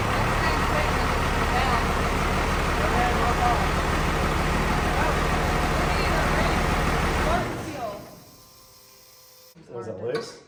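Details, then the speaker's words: The '41 diesel running: even clatter at about four pulses a second for seven seconds before cutting off. It runs normally, though power steering fluid sprayed out when revved. "got it she lives every time I reved it up it was shooting power steering foot at me yes it works it runs it's back it lives"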